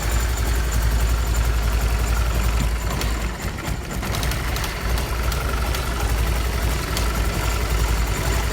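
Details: 1999–2000 BMW E46 318i (M43TU B19) lost power at speed; cranks, spark and fuel OK, fuel pump, filter and relay replaced; uneven lumpy idle near stalling, dies on throttle, fuel pump relay clicking on and off, no fault codes; cause unknown.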